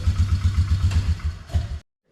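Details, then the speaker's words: 2004 Polaris Trail Boss 330 ATV bought at auction, test-fired after transmission repair for no reverse, with a longer temporary air cleaner: even steady exhaust pulses about eight per second, no knocks or rattles, clean shutdown; runs normally. "that seem to work good so I'll continue putting it back together"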